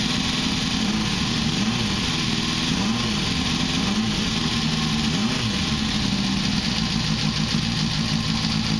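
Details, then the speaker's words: 1973 Honda CB500K2 café racer, barn-stored 25+ years, rebuilt with new seals and gaskets, fitted with a 4-into-1 exhaust, first start after the float bowls were redone and floats adjusted: catches and settles into a steady, even four-cylinder idle, no knocks or misses. "there we go Wow sounds great"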